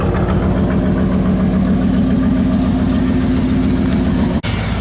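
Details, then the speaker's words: Truck, cold, just started after a dead battery: steady, even low rumble with a strong pulse and no knock or miss; sounds decent, though owner says it smokes a little and needs valve work. "sounds good though. Decent. It sounds decent."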